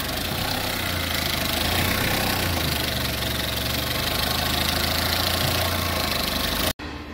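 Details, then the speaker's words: Skoda Octavia 1.4 TSI, 152,000 km, cold start with loud, fast metallic rattle; owner had timing chain replaced elsewhere for morning chain noise. "Sabahları zincir sesinden dolayı aracın zincir değişimi için farklı bir servisi özel servise bırakıyor ve ve zincir değişimi yapılıyor"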